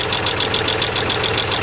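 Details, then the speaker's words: Land Rover Freelander KV6 V6 heard through a mechanic's stethoscope at idle, before warm-up: quick, even light ticking at about eight taps a second, most metallic at cylinder head, block and front engine mount bracket; a tapping hydraulic lifter. "pretty taid there too but right here is quite a bit more metallic and if we go on top the front engine mount bracket we got a good metal Clank there as well"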